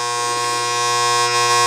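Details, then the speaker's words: Game machine lock relay with a newly fitted coil: a loud, steady mains-pitched buzz that grows louder after switching off and back on, traced to poor armature-to-core fit. "but if I shut it off again turn it on here how it got louder it'ss really damn annoying"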